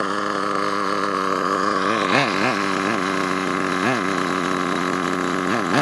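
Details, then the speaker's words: HPI Savage nitro truck with HPI 4.1 engine refitted: buzzing engine revving up and down with a rough, uneven edge under power; owner suspects the gear mesh is slipping and the gear is being destroyed, unconfirmed. "right yeah I think I'm killing my gear my"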